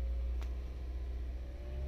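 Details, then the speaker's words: 2016 Toyota CVT during the CVT oil pressure calibration: the engine is started, and idle rpm rises for the calibration, giving a steady low hum with no knocks; raised idle is normal. "এইখানে দেখেন আপনার আরপিএমটাও বেড়ে গেছে calibration নেওয়ার জন্য।"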